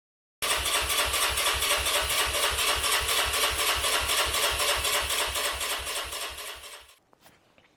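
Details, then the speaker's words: Herald 125 motorcycle cranks but won't start after fuel drained and refilled with fresh fuel and fuel treatment; starter spins at about four compressions a second for six seconds, plenty of compression, never fires; cause not yet found. "put fresh fuel in some fuel treatment moved it around slushed it around in the tank so it mixes well and it still won't start um sounds like it's got plenty of compression"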